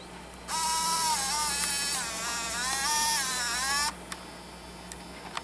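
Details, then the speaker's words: Canon Elura 40 MC MiniDV camcorder during tape playback. A thin whirring motor tone wavers in pitch for about three seconds; the tape mechanism sound is more pronounced than average. "sound that makes the moment when I was handling the chore exists a little more because it is a little more pronounced than average"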